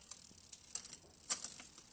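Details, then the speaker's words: Bicycle derailleur shifting down from the top gears, pedalled on the bike: irregular gritty crunching and rattling instead of one clean click as the chain drops down the cassette, seemingly around the third gear down; the shift is not settling properly. "And when Danny's trying to move down a gear, we're hearing a kind of a crunching sound more than everything."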